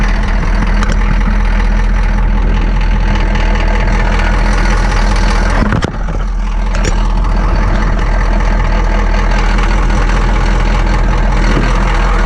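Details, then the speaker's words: Ex-military Humvee (HMMWV) diesel with leaking fuel transfer pump, idling right after a hard cold start: loud even clatter at about three to four beats a second, no misses; noisy but running normally. "that's her [Music] man these things are noisy"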